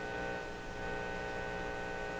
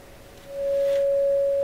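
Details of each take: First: Canadian General Electric KL-96 radio that suddenly went silent: a loud, steady, constant-pitch buzzy hum with no program behind it, sounding like an open ground; the audio stage was later confirmed working from the phono input onward. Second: Canadian General Electric KL-96 radio during repair: a clean, steady test tone plays even with no hum or distortion, confirming the audio stage works from the phono input onward.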